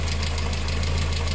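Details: VW engine with timing chain, bought with engine damage, head gasket failed (known due at 100,000–130,000 km), oil mixed with water: fast light ticking about eight a second above steady idle; lifters ticking on water-contaminated oil.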